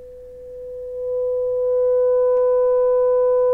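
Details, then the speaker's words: Grundig 4198 stereo tube radio restoration, first power-up after power supply repair, 500 Hz 200 mV signal into the pickup input: steady, pure mid tone swells and holds clean with no hum or crackle; at least one power amp channel works. "brilliant brilliant it works so we have the power amp at least one channel of the power amp's working"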